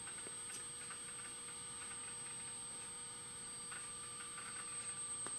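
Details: Apple PowerBook 170 rescued from e-waste, files dating from late 1997, opening a document in Word 6: quiet steady whine with a few sparse, faint clicks as the heads seek; the old hard drive is working normally.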